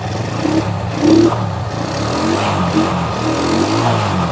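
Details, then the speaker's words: Honda Megapro single that lost spark and died after 50–100 m, tested with its original CDI (broken wire suspected): picks up cleanly through blips and holds a steady high idle without cutting out; CDI still works; normal revving. "Oke ternyata CD ini masih mampu untuk gitup"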